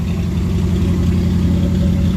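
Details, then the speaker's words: 1965 Mustang fastback 289 V8 with refurbished Holley Street Warrior 600 cfm four-barrel carb and electric choke, new fuel lines and filter, cold start: steady fast idle about 1200 rpm; high cold idle on choke, slight exhaust rattle possibly from a broken hanger. "it's a little high but i'm gonna let it warm up a little bit it's probably there's no tack on it"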